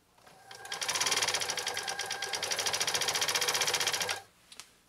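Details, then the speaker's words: Repaired 1980s New Home SL2022 all-mechanical sewing machine with a 1.0 amp motor, set on high power, sewing through six layers of commercial-grade canvas: an even, fast rhythm near four stitches a second with no stalling or knocking. Normal sewing under heavy load. "okay so six layers of commercial grade canvas with this model sl 2022 made by new home in the 1980s uh and we'll see how see how she does with this"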